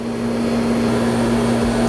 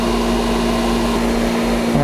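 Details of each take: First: Pool pump with new 2 hp full-rated motor (2.20 service factor) running right after install without catching prime: even electric hum with thin hollow whine and no water rush; more water must be added and restarted. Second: Whisper Flo 2 hp pool pump with newly installed Sentry replacement motor, after priming and air bleed: steady even hum, constant tone, no rattle or grinding, spinning down smoothly; running normally.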